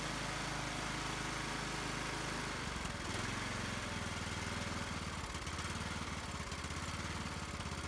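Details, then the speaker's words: Husqvarna YT 21 HP lawn tractor, small single-cylinder engine with choke on after finding a wet air filter, catches and settles into a steady, slightly uneven chug of about three beats a second, running on its own; normal running. "Run. Well, that wasn't bad. It's running."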